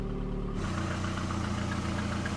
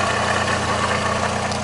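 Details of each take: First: VAZ 2110-2112/Priora after repair, with new alternator bearings, alternator tensioner and all bearings replaced: smooth, steady idle with an even low drone and no whirring or rustling from the front; normal idle. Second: VAZ 2110/2111/2112 or Priora, hot engine, under-bonnet: steady low hum over smooth idle after alternator and tensioner bearings were replaced; suspected worn water pump bearing droning, being checked by removing the belt.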